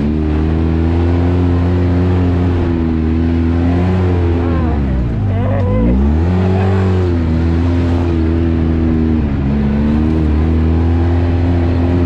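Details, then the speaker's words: Polaris RZR 800 after repairing bad rod bearings, out for a ride: engine pulls smooth and even, drops off throttle and climbs back cleanly with no knock; bottom end sounds healthy, runs great. "we went to took it out for a ride and it runs great and it's super awesome my wife liked it too"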